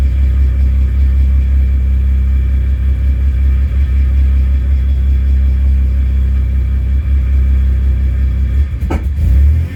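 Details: Manual-transmission car that had stalled twice, after fuel pump replacement: deep, steady running at low revs with a brief blip, no stumbling or cutting out; runs healthy, stalling traced to the fuel pump.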